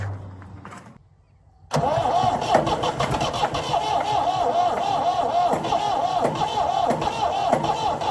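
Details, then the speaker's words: Previously seized Ford 4000 diesel tractor cranking at about three compressions a second, steady and uneven, never firing; fuel reaches the filters, pump and injector inlets, injector 2 loose; owner suspects fuel not yet reaching cylinders. "I think it's just the fuel just isn't getting through the pump yet through the injectors. I've got fuel at the injector inlet point. I just don't have it in the cylinders enough yet."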